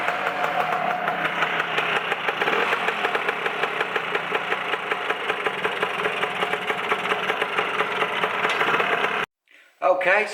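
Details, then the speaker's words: Lambretta LI150 Special with RT 198 long-stroke kit, PWK carb, hot after first test ride: lumpy uneven two-stroke burble struggling to settle; running rich, won't hold steady tickover when hot. "it's running a little bit rich at the moment so it's refusing to maintain the tick over now it's got hot"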